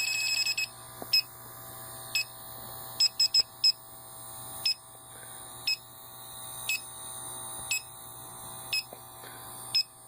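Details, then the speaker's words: AC indoor evaporator coil, lines about 66 degrees so the system is not empty, checked with an electronic leak detector: shrill beeps about once a second, bunching closer in spots. Refrigerant is leaking inside the coil, not at the tubes or elbows. "there's as you can hear it still fits sniffing it seems to be picking it up mostly right around there in the coil"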